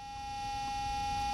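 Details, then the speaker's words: Fan-driven smoke unit in a modern O-scale diesel locomotive, engine sounds turned down; a steady piercing high whine over a low rumble. The unit still puts out plenty of smoke but is far too loud. "wow that is a loud smoke unit it should not be making anywhere near that much noise now the smoke unit is not broken it's putting out plenty of smoke it's just making a lot of noise"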